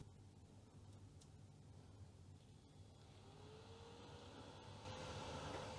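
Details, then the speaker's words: Commodore CDTV (Amiga-based CD console) replacement cooling fan, fitted because the old fan sounded like a little tractor even after cleaning: faint whir rising gently as it spins up, slight air rush, no rattle. Quieter, normal fan running. "Yeah, that's much more silent, but it has a little bit more wind noise perhaps."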